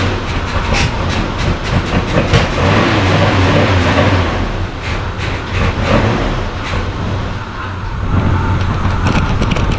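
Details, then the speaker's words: 1975 Chevy C10 Squarebody V8, first start after 20 years sitting, primed with fuel. Loud, deep rumbling idle with slightly uneven pulses, but it keeps running on its own. "So, what do you think? That was awesome. Good old girl. Fired up and she idled a little bit."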